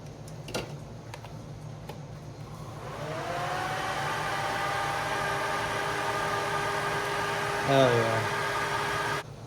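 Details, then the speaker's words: Mitsubishi Eclipse GSX 4G63 radiator fan tested after wiring a new relay, triggered by a jumper wire before the inline fuse is fitted. Quiet, then a whirring rises into a steady, even whoosh with a soft tone; fan spins up cleanly. "I should be able to just touch this white wire to the red one, and we should hear the fan kick on."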